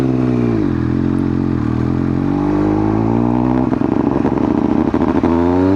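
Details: 2000 Triumph Daytona 955i in third gear at low rpm: the engine sputters, turning ragged and stumbling under throttle, and it dies at idle; a Power Commander that is not set correctly is suspected but unconfirmed.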